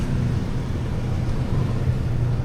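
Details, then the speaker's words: Yamaha NMAX Tech Max scooter idling after big CVT oil seal replacement and pulley calibration (pulley had stuck), sensor error cleared; steady, even low hum with no slap, rattle or knock, CVT now quiet and smooth. "Yeah. Tahimik na. Smooth. Tama. Naging RPM na."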